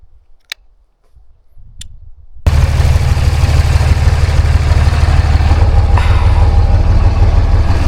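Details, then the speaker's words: Salvage truck with new batteries, an exhaust leak and low power: engine starts and settles into a heavy deep idle with a faint unevenness, a slight miss. "clean truck, but you can hear she's got a little mist to her."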